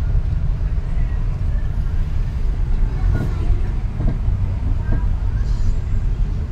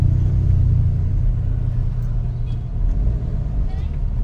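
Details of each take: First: Nissan X-Trail stationary at idle: dull clunks as steering wheel is turned, persisting after earlier parts replacement, caused by a worn stabilizer link joint. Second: Nissan X-Trail driving after replacing the stabilizer link for a suspension clunk: steady low rumble with no knocks or clunks remaining.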